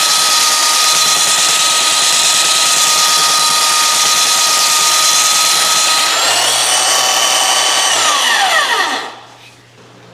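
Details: Restored roughly 65-year-old all-metal Craftsman belt sander hand-held as a bench sander; steady even high whine with smooth sanding hiss, no knocks or rattles, then clean spin-down. Running healthy.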